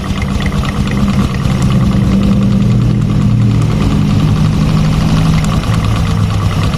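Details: Clutch knock at idle on a fuel-injected Revo Fit: irregular light tok-tok tapping from the right-side clutch area of the engine at steady idle, suspected in the double clutch lining area.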